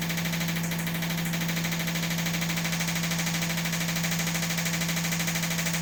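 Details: Washing machine during spin: loud steady drone with fast rhythmic thumping about three per second; the shock mounts flex and crack the chassis.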